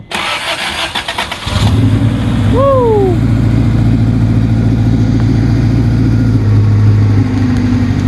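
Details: Engine at a Subaru dealership, just after an engine rebuild, on startup: it cranks briefly, catches cleanly around two seconds in, then settles into a steady, even idle with no knocks or misses. Healthy.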